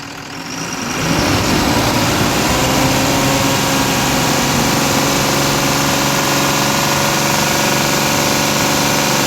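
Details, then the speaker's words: Tata BS4 diesel with a new rail pressure sensor, signal 1.5 V at idle and 3.5 V at full throttle. The engine picks up within a second, then holds a steady, even high-rev roar with no knocks or misses. Full-throttle revving is normal. "बस ये 3.5 volt गया था full race करने पे।"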